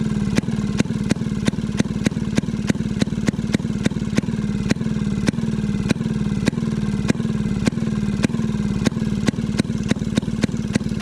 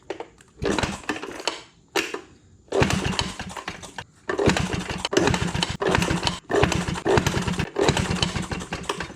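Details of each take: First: Maytag 92 hit-and-miss engine after off-camera adjustment, later found to have been getting too much fuel: crisp firing pops about three a second, unevenly spaced, with no squeal. Yesterday's squeak has quieted a lot. Normal running. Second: Maytag 92 hit-and-miss engine: short popping bursts that die after a second or two, so it won't keep running. Fuel reaches the engine, and the owner suspects weak spark from off-center ignition points.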